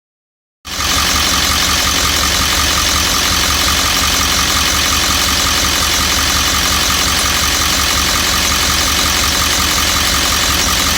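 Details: 1998½ Ford E350 7.3 diesel, after dropping a badly delaminating fuel tank for low fuel pressure: once warm, loud idle with a steady hard clatter, about four knocks a second; owner wonders if injector or cackle, cause unconfirmed.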